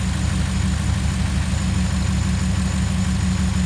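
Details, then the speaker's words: 2016 Ram 1500 with 5.7 L Hemi V8 after spark plug replacement and oil change: deep, steady idle burble with no miss or tick; running smooth. "Let's go ahead and grab the keys and start it up, see what it sounds like. Seems to be running smooth here."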